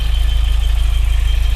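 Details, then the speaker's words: Car at idle just after start, charger showing 14.07 V, heard through mechanic's stethoscope on water pump: only steady low engine pulse, no whine or grinding; water pump quiet, while squeak traced to suspected alternator bearing. "First the water pump. It's fairly quiet,"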